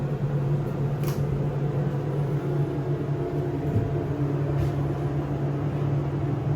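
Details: SEIM screw pump in machine room of elevator modernized a few months earlier, replacing old Dover: loud steady low hum with constant tone, no speed change; pump very noisy.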